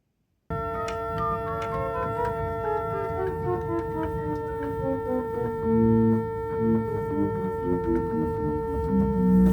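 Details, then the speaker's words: Newly restored church organ, St Mary's, Chettle: one pipe keeps sounding a steady held note under other played notes; a cipher from a sticking note. "There's not really much I can do about a cipher. It's a sticking note."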